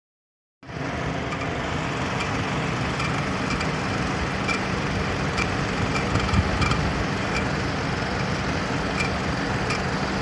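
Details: Nissan Qashqai radiator cooling fan running with a steady whooshing roar and a constant low hum underneath: noisy radiator cooling fan.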